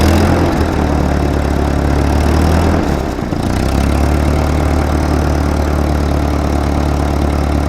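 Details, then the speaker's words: 1943 Ford 9N backhoe tractor, block has several cracks; loud low chugging idle with uneven beat around four a second and a stumble, runs but needs help, rough running. "uh she runs not going to say she runs well she needs some help"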